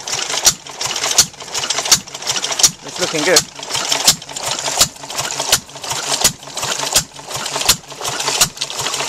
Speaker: Replace the knackered leather bucket washers with some thick rubber washers. I've got plenty of pressure now.